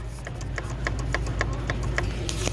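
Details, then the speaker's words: Mitsubishi Pajero 3.5 GDI, accessory belt idler pulley grew noisy as colder weather set in: sharp regular clicking about three to four a second over a low steady hum; chattering idler pulley bearing, to be replaced. "so that's been chattering so i'm gonna change it"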